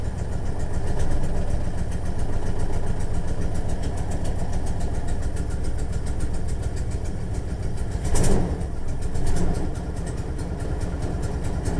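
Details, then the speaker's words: 1989 Jeep Grand Wagoneer genuine cold start, flooded: loud lumpy galloping idle with stumbles and a dead miss, attributed to a rear spark plug; owner links the missing to an exhaust manifold hole and leak, better since vacuum lines were fixed; cold start misfire. "galloping. It's flooded, too. But it doesn't seem to be doing that bad today since he got them vacuum lines fixed."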